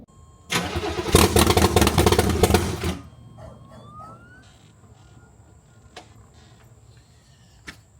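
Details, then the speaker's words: Chevrolet Corvette C3 after timing chain replacement, no coolant in the system; starter cranks steadily with no firing, cranks but won't start, owner suspects no fuel as the pump isn't priming. "but right now let's see what she what she [Music] do I don't think we got no gas y'all"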